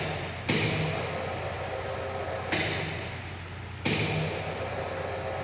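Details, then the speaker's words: High-voltage sphere gap breakdown test, gaps set from 10 mm up to 40 mm, primary voltage raised until breakdown (previous 35.42, next 50.94); three sharp cracks over low steady hum as gap flashes over, then secondary trips and disconnects. "Yes, when breakdown occurs, this gets tripped, disconnected. Secondary gets disconnected."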